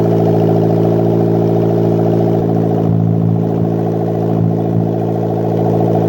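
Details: Custom turbo 1ZZ MR2 Roadster/Spyder build, first start after fitting (oil feed left loose to confirm turbo oil, PCV and breather venting to atmosphere): even, steady idle with quick regular firing beat, no knocks or misses, not too loud; normal idle.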